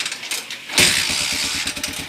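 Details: Motorcycle after overhaul with new timing gear and valve seal, in break-in: quick catch on the starter then a steady, even single-cylinder putter settling into a fast idle, engine healthy.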